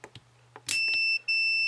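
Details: Intellitec BD0 battery-disconnect latching relay from a used RV, which had stuck on and drained the deep-cycle batteries; after cleaning and lubrication it latches correctly. Soft clicks, then a steady high beep, a brief break, and more beeping; cause unclear.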